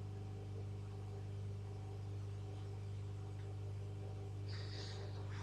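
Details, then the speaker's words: Home-built tube regenerative radio receiver, not working regardless of tuning or regeneration setting: only a steady low mains hum and faint hiss, no station or whistle; builder suspects the coil, and a hand near it raises hum. "I don't even need to touch anything if I even just put my hand near it I can hear a hum come out of the speakers"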